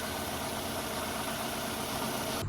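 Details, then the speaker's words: 2002 Toyota Camry idling with weird engine noise/rattle; unplugging this ignition coil leaves the uneven, lumpy engine note unchanged, so this coil is faulty, the dead-cylinder misfire cause. "and that's our issue the engine loin has not change so that means that this coil is out of"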